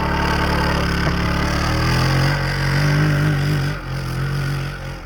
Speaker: did you hear the belt slip she's in high